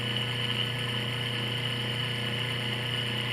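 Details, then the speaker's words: Washing machine motor removed and run directly on the bench at high speed in the spin direction, belt off: steady hum with a constant hissing, rough whir from a worn motor bearing. "Vou testar o sentido direto, o mesmo da centrifugação. Veja que já podemos ouvir barulho de rolamento."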